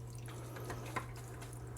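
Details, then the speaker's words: New Aquaclear 50 hang-on-back filter, replacing a noisy Top Fin, on a 29-gallon tank, first plug-in with the lid off: a soft, steady water trickle over a low, even motor hum, with no rattle or grinding. Normal running. "Let's go ahead and plug it in, see what happens. All right, moment of truth. She's flowing."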